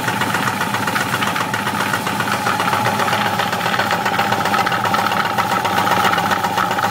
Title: Bruit moteur , roulements ?